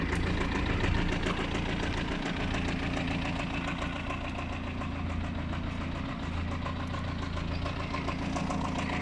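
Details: BMW 320d E46 diesel idling with a steady, rough knock about three to four times a second and a faint squeak; the engine later cut out, cause unknown.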